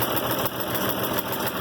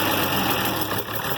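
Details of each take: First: IH Farmall 706 tractor after new carburetor install and mixture adjustment: even, steady idle around three to four firing beats a second, settling smoother with no stumbling; normal idle. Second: IH Farmall 706 with a newly fitted carburetor, basic idle being set: an uneven, hunting idle with a loose, stumbling beat. The idle mixture needle still needs adjusting. Rough idle from unadjusted idle mixture.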